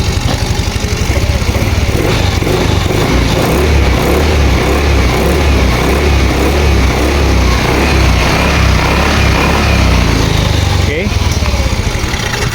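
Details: Yamaha Mio Soul i 125 after hard-starting fix on the starter motor (new carbon brushes, greased, extra wiring): starter spins briskly, voltage dropping only to about 10-11 V from 13.2 V, engine catches cleanly with no hesitation.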